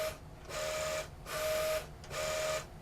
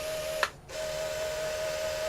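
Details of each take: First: QIC tape drive fitted with a replacement Plastiband tension band, tape initializing and running: short bursts of motor whir under a clean mid-pitched tone, starting and stopping evenly without scraping or chatter; runs smoothly. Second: QIC tape cartridge fitted with a replacement 6" Plastiband tension band, running the return trip. A thin, steady, high squeal with one brief pause; the band is thought to be too tight and dragging.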